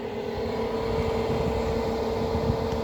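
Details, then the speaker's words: 2009 Amana PTAC air conditioner with only the fan running (one motor drives indoor and outdoor fans): loud steady drone with a fixed mid-pitched hum and rough rumble; worn fan motor bearing noise. "all right today's video is going to be focusing on how to switch out this um fan motor and then a mana ptac or package terminal air conditioner as you can hear right now the only thing on is the fan"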